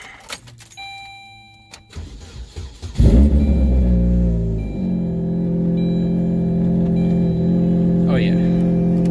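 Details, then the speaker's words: Saturn Ion Redline cold start: loud, rough, booming idle with a puffing pulse from an exhaust leak somewhere up front, location not yet found; idle slightly wonky until warmed up. "Exhaust leak is somewhere up there. I gotta figure out where."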